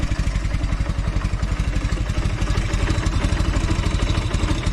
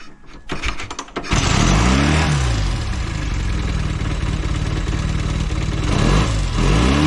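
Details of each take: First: Velocette LE twin idling at about 700 rpm after clutch and points adjustment: a low, even thumping with no skipped beats or ticking, firing evenly on both cylinders, where it previously had an occasional miss or tick. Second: Velocette LE twin after clutch and points adjustment fires after a few cranks, then settles into a quick, busy idle with some blips at about 1300 rpm; the idle is set too high.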